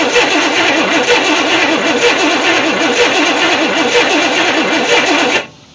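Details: 1964 Chevy Impala SS convertible sitting in a shed 35 years: starter spins the engine steadily for about five seconds but it never catches; crank no start, with only a faint spark, weak coil suspected, not confirmed.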